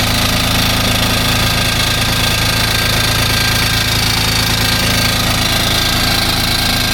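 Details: Kubota RTV X900 utility vehicle with a D722 three-cylinder diesel, test-run during a valve adjustment job. Even diesel clatter holds a steady idle throughout, with no stumble, misfire or stray knock: normal diesel idle.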